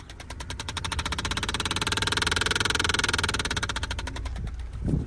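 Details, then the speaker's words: Car HVAC blower at start-up: quick, irregular rattle of roughly three taps a second over the fan whir; insulation debris, apparently from a mouse, found in the cabin air filter. "well I come out here to turn the car on and the AC starts making a funky noise I'll show"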